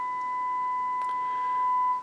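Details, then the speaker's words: HH Scott R 316 receiver on phono, volume cranked, fed a one-millivolt test tone after adding 470k resistors: pure steady tone, no crackle or hum, clean on both channels; phono stage working. "sounds good on both channels so funnel stage is working great"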